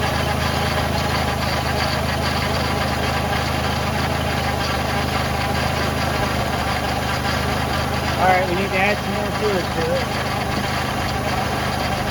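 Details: 2006 Ford Freestar 4.2L idling right after power steering pump replacement: steady even idle with a faint power steering whine, considered normal for Fords; normal idle.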